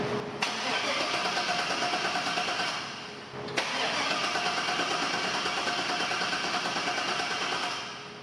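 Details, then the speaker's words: 1977 Chevrolet K10 shortbed swapped to a 5.3 L LS V8; two cranking bursts of about three seconds each, starter chugging evenly but the engine never catches because the fuel pump does not run, later suspected to be swapped purple and gray wires. "All right, let's give her a crank, see what happens, see if the fuel pump even runs."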